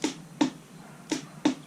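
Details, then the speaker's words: 1978 Honda Goldwing, first start attempt after sitting for years, battery only trickle-charged: four sharp, dry clicks in under two seconds with no cranking; owner suspects a weak battery. Starter solenoid clicking, engine does not crank. "i hear the i hear the solenoid clicking hear that the solenoid's clicking but no action so maybe my battery does not have enough juice"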